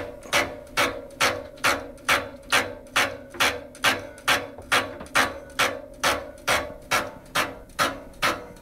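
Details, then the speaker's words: Heating-system radiator valve installed against its flow arrow: sharp, even knocks about twice a second hammering through the pipework as reversed flow makes the valve cone vibrate. Fix is reinstalling the valve with the arrow matching flow direction. "if flow goes this direction it creates a movement of the the cone and it starts to vibrate and here it comes the the banging the the knocking noise in the system"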